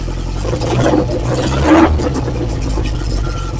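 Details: Cold start of a freshly refreshed Lotus Esprit engine: loud, even fast idle with a deep open-pipe rumble and slightly rising revs. The engine only reached about 30–40°C. Timing is set, but the Bosch system and air-fuel ratio still need tuning. Runs strong and steady.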